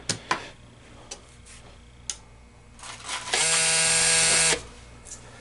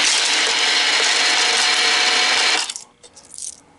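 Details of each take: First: Green Stripe American changer hopper with MEI validator on a test jig, pins jumped: a few dry clicks, then a flat high buzz and silence; the validator doesn't complete its boot and the changer doesn't turn on, suspected hopper board, traced to faulty harness cord. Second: American Changer green stripe coin hopper after a rebuild with gearbox cleaning and regreasing, running to spread the grease then dispensing four coins: brisk, even whir with metallic rattle, coins clink out cleanly. Normal dispensing.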